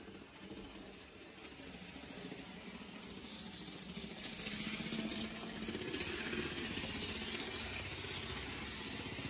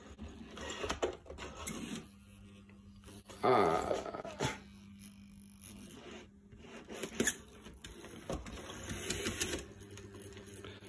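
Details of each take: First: N gauge Farish/Dapol HST locomotive running on track after reseating the motor connection pin; light mechanical whir and rattle building as it moves, a bit bumpy but the earlier squeaking is gone; normal running. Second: Farish/Dapol HST model train motor test: faint motor whir broken by clicks and short squeaky bursts; horrible noise from dry, very taut bogie gears, to be opened up again.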